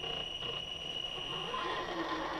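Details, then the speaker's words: RC crawler (SCX10, about 9.5 lb) with sensorless Castle Sidewinder 3 ESC and brushless motor; shrill beep-beep chirping as the ESC fires phases crawling very slowly under load, quieter with more throttle. "slowly if you listen hear the beep beep beeping that's the ESC firing the phases and it's really slow now under load here this here how noisy it gets"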